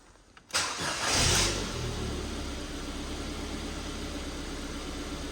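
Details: Race Red Ford Fiesta just reassembled with coolant and engine oil refilled: quick crank, catches at once and settles into a steady, even idle with no knocks or misses; normal start and idle.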